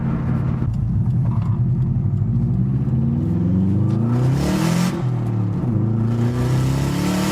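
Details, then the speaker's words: Subaru WRX with newly fitted Tial 38mm external wastegate and boost control solenoid, oil at temperature, third-gear pull: engine climbs hard, then a very loud rushing hiss as the wastegate vents boost; no overboost. "holy we didn't overboost we didn't over who the whose ha ha but that wastegate is loud as oh my god"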